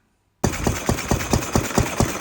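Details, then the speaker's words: Ruston 6PS single-cylinder water-cooled stationary petrol engine, belt-started after remounting the magneto whose drive coupling had popped out: slow, even chuffing at about four beats a second. Normal running. "Here we go. I have the Ruston now running on the good one belt start. There she is."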